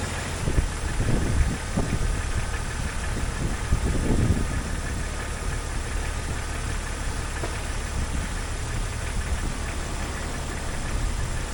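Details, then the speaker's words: 2001 Jeep Cherokee XJ after radiator and water pump work: a low, steady six-cylinder idle with an even beat and no knock or squeal, and no leaks. The electric cooling fan did not come on because its fuse was blown. Normal idle. "everything seems fine I don't see any leaks or drips or anything"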